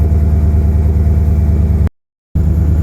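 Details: 2006 Porsche Cayenne S (955) 4.5L V8 just after replacing the EVAP purge valve for P0441 and pulsing idle; steady even low rumble at raised warm-up idle, no pulsing or hunting; running smoothly after repair.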